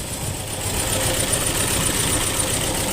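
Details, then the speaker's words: 2.0 SOHC engine after a broken timing belt, two fuel injectors unplugged so it runs on the other two cylinders; uneven, loping idle like a dead miss, no knocking, a bent valve probably suspected. "So I unhooked these two fuel injector so we don't have any fuel, but it's running on the other 2 cylinders, which, you know, at least I can hear the engine run."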